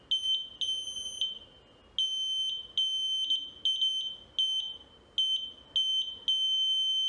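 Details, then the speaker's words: VLF metal detector on a 9 V battery after repair with new LED and buzzer reconnected, previously beeping continuously; clean high beeps then a steady tone over metal, continuous false beeping gone, working normally. "आप देख सकते हैं कि लगातार beep की आवाज़ बंद हो गई है और मेटल डिटेक्टर अब काम कर रहा है।"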